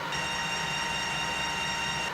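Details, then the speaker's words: Restored 1980s Colchester Master 2500 lathe headstock running after reassembly, only one gear having been faulty; smooth, steady mechanical hum with even tone, no knocking or grinding, gears running normally. "this is such a relief knowing that it is only this single gear while the rest of the head soog is in great shape"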